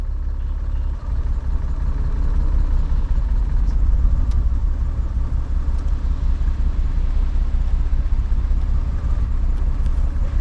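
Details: Porsche Cayman at an autosolo, second course: engine warning light came on and a misfire dropped it to five of six cylinders, a deep, lumpy, stumbling rumble; happened only once and seemed fine at high revs.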